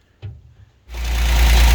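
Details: 1963 GMC K1000 4x4 after swapping in a better distributor, cap, rotor and wires: engine catches and settles into a deep even rumble; timing had been about 30 degrees advanced, being reset toward 5 degrees.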